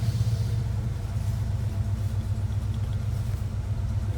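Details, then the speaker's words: 1977 Ford Bronco Ranger, frame-off restored, 302 V8, 3-speed manual, about 41,260 original miles, dual exhaust; fires right up to a deep, even burble with regular low exhaust pulse, mild tone, no misfire or ticking; normal idle. "Nice sound from the dual exhaust. Nothing obnoxious, but nice little tone. Fires right"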